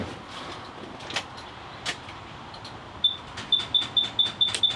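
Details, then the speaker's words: 2017 Thor Vegas RV with front-end damage, after repairing the starter signal wire, on a jump box: rapid sharp clicking with no crank, not enough power; it later spun over with a truck jumped on at 13 V. "Oh, I hear it clicking, but it's not enough power."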